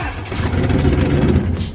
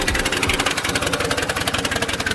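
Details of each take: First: Turbocharged Mercury Marauder whose engine had locked up from salt water intrusion, first idle attempts: rough uneven low rumble that sags and dies; stalls every time throttle is tapped, earlier knock no longer heard, cause unknown. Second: Mercury Marauder, DOHC 4.6 liter V8, previously knocking; even steady idle about three beats a second with no knock or tick, the earlier knock now gone; engine sounds healthy.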